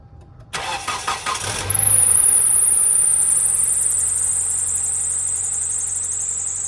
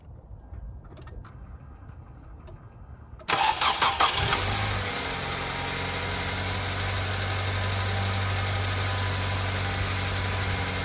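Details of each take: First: 2010 Kia Soul: the starter cranks, then a loud, high, steady belt squeal continues at idle. It happens every startup, sometimes lasts miles, and steering is stiff in turns. Power steering belt problem. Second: 2010 Kia Soul after belt tightening, cured of squeal at startup and stiff power steering: engine cranks, catches and settles into a steady, even idle with no belt squeal.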